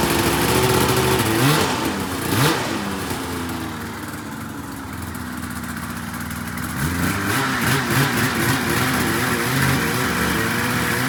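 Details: 2004 RMK 800 two-stroke sled with SOP exhaust, Boyesen reeds, one cylinder at 120 psi compression; crisp revs rising and falling over a busy idle, clean throttle response without misfire; revving healthy.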